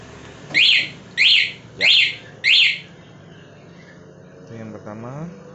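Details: Aftermarket Nine A1 12V alarm fitted to a Gesits electric scooter: four sharp high-pitched chirps about half a second apart, then quiet; normal arming chirp.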